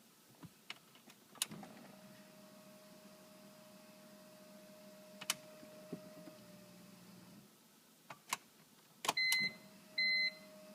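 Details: 2003 BMW M3 SMG, 108k miles, clutch slipping then loud screeching and clutch smell; now stuck in neutral ("0"), won't start despite swapped relay: faint hydraulic pump hum and sharp clicks on gear selection, no start.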